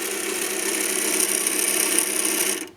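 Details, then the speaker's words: MiniDisc deck after eject: a harsh, raspy mechanical grinding whirr runs about 10 seconds, then stops abruptly; the owner broke the marker switch, and the cause is not confirmed. "quite know if you heard that but it keeps running for about 10 seconds and it makes this horrible grinding noise coming absolutely hate that noise"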